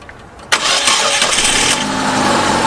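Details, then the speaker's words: After replacing a broken engine bracket, whose loose bolt let it crack and caused the noise, the timing gear now clears it; engine cranks, catches quickly and idles steady and even with no knock or rattle: normal start and idle, noise gone. "在正时齿轮和支架已经有了距离，噪音已经消失了。"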